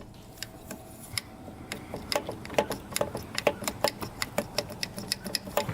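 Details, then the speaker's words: 2000 Honda 400EX engine that locked up after a ride, crankshaft rocked by hand: irregular sharp clicks and clunks from heavy up-down and side play that catches when rotated; crank bearings worn out. "look at that play there's up and down play and there's a ton of side to side"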